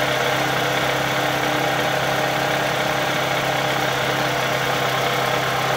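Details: 2003 Toyota Camry engine, 200k miles, shredded belt replaced, tensioner not: steady idle with fast, light ticking over the hum, loud at different idles; owner suspects lifters and camshaft, later found along with the timing idler, and the engine was replaced.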